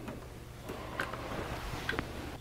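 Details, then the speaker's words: 3D-printed Easy-Build clock after fitting helical gears 3 and 4 to stop the escapement pinching and random stalling; soft, evenly spaced ticks over quiet room hum with no hesitation, clock running normally. "i added more driveway i did all kinds of things to try to fix it once i added the helical gears on gears 3 and 4 clock runs beautifully"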